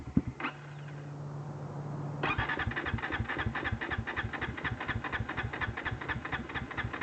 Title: Misfiring and Stalling